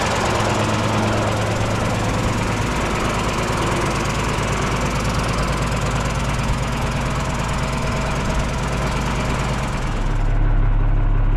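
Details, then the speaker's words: Mercedes OM366A turbo diesel (170 hp) driving after its fuel pump was rebuilt with new plunger pairs; the worn, unbalanced pump used to clatter slightly, but now it runs evenly. Steady low rumble with an unbroken beat; normal running. "щас воно все вирівнялось все воно роби все воно чотко"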